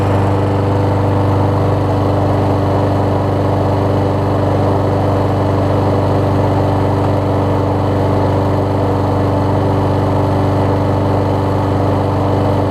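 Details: Troy-Bilt self-propelled mower after carb bowl gasket replacement, new self-propel belt fitted: small single-cylinder engine started first pull, holds a steady, even drone without hunting or surging or fuel leaks; runs normally.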